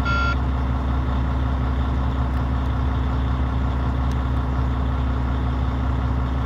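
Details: Volvo FH16-660 truck, 1,150,000 km and 27,250 engine hours, with injector sleeves and flywheel replaced and engine unopened, on its first start in two months: a deep, even diesel idle with no knocks or misses, healthy.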